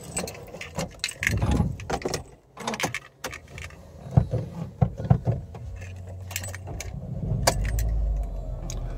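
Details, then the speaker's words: Mercedes CLA 180 restarting after its aftermarket alarm/GPS system cut the engine by SMS and a reactivation SMS was confirmed: the engine catches on a short crank and settles into a steady idle, with no check-engine or warning lights. Normal start. "παίρνει μπρος κανονικά πάλι το αυτοκίνητο χωρίς να έχουμε check engine, προβλήματα, δεν έχει ανάψει τίποτα."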